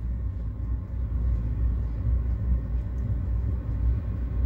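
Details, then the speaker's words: Chinese diesel heater installed in a Hewescraft boat, normal startup: the blower fan spins up with a smooth, even low hum, no rattles or surging, before lighting; hard to hear even with the canvas open. "but even with the canvas all the way open now you can't really hear it and as you can hear the fan is blowing now"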